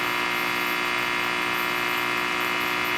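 A harsh, even buzz with a bright edge runs constantly at a steady pitch: rectifier diode switching noise with no snubber capacitors.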